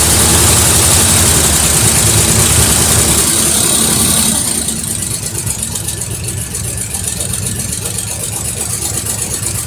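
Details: 1973 Mercury Cougar XR7 V8, first start since 1985, oil/2-cycle mix in cylinders, no oil pressure shown on possibly faulty gauge: even idle with light quick ticking three or four a second; owner suspects noisy lifters from old engine, unconfirmed.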